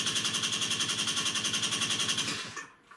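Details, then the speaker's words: Peugeot Speedfight 2 50cc scooter after repairing cut, badly earthed starter wiring: fast, even whirring starter chatter at three to four pulses a second, then stops; normal cranking, engine not yet running. "i am happy with that now turns over now we've got the hard work"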